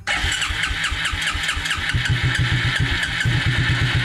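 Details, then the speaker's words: 1996 Suzuki King Quad 300 4x4 ATV single-cylinder, fuel lines disconnected at the fuel filter to check flow, after long cranking: uneven stumbling firing that barely holds on; fuel starvation, engine barely running. "it was running there just barely which is a good sign i think that's because i've just been cranking it trying to see if i could get it start"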